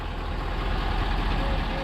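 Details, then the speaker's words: 2020 F350 on-board air system with ARB twin compressor, upfitter on, truck running: only the top fans' steady low drone; the compressor stays off for two to three minutes because the system holds pressure with no leaks. "what you hear now are the fans at the top and if you don't want those to run you can simply turn your upfitter off"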